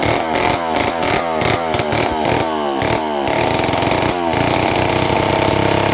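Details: Homelite 500 chainsaw without a muffler, first run after a carburetor rebuild with the Hi and Lo needles at 3/4 turn: crisp blips, then a steady, even high-pitched run with no stumbling.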